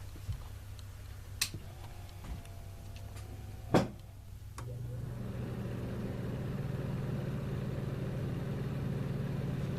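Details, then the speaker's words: Refrigerator with bad start relays: compressor fails to buzz or start, with only a small relay click-off, then steady fan hum. "the compressor it actually didn't buzz and click like I thought it was going to there was a little click that was the relay clicking off"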